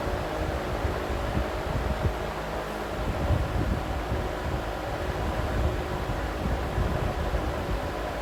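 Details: Vintage Emerson box fan after cleaning and servicing, original wiring and capacitor, on intake at high speed: steady rush of air with a smooth, even drone, no knocks or rubbing; normal running at high speed.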